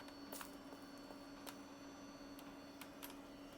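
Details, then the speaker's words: Macintosh Color Classic II from Japan with leaked capacitors on the analog board: on power-up faint, irregular flip-flip ticks over a steady high whine, the supply seemingly cycling instead of booting — repeated flipping noise. "Yeah, it's flipping. It's making like a flip flip flip flip flip flip noise. Well, that's disappointing, isn't it?"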